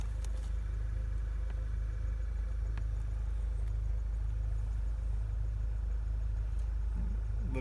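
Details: 2012 Volkswagen GTI 2.0 turbo after ignition coil and spark plug replacement for flashing check engine light, zero codes afterward: even steady low idle, no misfire stumble or ticking; healthy.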